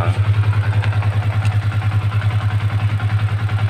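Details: Honda CB150 FI after starter fault traced to neutral switch ground wiring: low, steady single-cylinder thump with even, gently pulsing beat, no knocks or rattles; normal idle.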